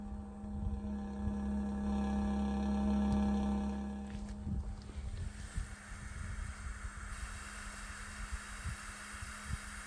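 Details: Bison hand water pump, mostly in colder weather below 50°F: low droning groan for several seconds shortly after pumping stops, fading into clicks and gurgles as water drains out the freeze line drain hole; cause unknown.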